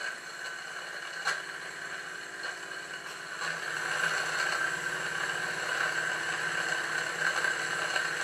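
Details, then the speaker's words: Live steam test of the steam plant in an unfinished Victoria steam boat: a small steam engine runs steadily with a soft hiss, while faint pops and crackles come from the boiler as steam oil burns off and water drips onto the burner, which is normal. "if you try and listen in over the sound of the engine you will hear some popping and crackling coming from the boiler this is the steam oil burning off and also the water dripping down onto the burner"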